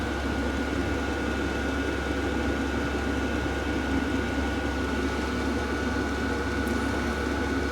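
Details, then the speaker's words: Cheap diesel heater just installed in a workshop at about 6 degrees, starting up and reaching full mode: a steady fan roar with an even high whine and the fuel pump ticking regularly underneath. It is running normally and already putting out heat. "oh yeah she's starting to pick up now foreign excessively loud either to be fair it's not excessive allowed"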